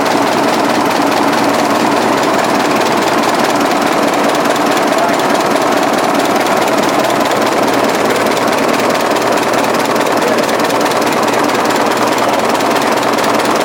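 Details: 1920s 45 hp General Electric genset, serviced after over 10 years unrun, just started at half choke with governor being adjusted: loud, even, steady chuffing, no knocks or misses; runs smoothly, sounds healthy.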